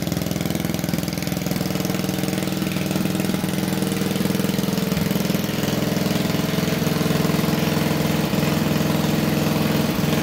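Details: Old wood splitter single-cylinder engine, unrun for over 40 years, after coil gapping, bore honing and carburetor throttle shaft fix; steady, even idle putter with no misses or surging; normal running.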